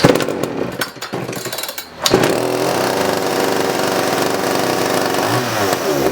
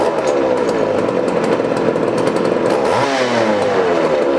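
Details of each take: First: 1981 Poulan Counter Vibe 4000 chainsaw after ignition module cleaning and repair, final test run; a couple of pulls, then it catches and holds a steady high buzzing run, healthy. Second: 1981 Poulan Counter Vibe 4000 chainsaw: runs with high two-stroke buzz that wavers and dips briefly before climbing back; slight hesitation, cause not yet found.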